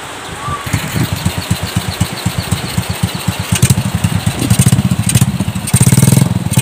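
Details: Shogun R125 single-cylinder motorcycle that was hard to start, after replacing parts: catches and settles into a steady, even putter that picks up with throttle; starts and runs cleanly.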